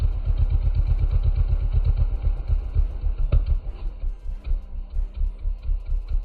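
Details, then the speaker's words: Custom Honda Grom mini bike with Adonoly Racing exhaust, cold start after sitting: loud, lumpy exhaust beat thumping about four times a second at cold idle. Open and echoing down the street because the spark arrester that quiets the muffler is missing. "i can hear the echoing from down the street this thing's so loud i don't have my spark arrester to make the muffler quieter"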